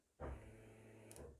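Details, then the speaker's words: 2003 Opel Corsa C fuel pump energized by bridging pins 30 and 87 of the fuse-box relay, key position irrelevant: a steady low electric hum starts sharply and holds for over a second; the pump runs fine. "fuel pump is on that should activate the fuel pump doesn't matter if the keys in the ignition or not"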